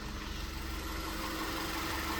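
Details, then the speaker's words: VW Tiguan that had a dead cylinder and cylinder 1 misfire after port cleaning and new injectors, now with spark plugs and injectors swapped from a spare Tiguan: quiet steady even idle, no skips; normal idle, owner suspects bad coil or plug. "Well, it's not missing anymore."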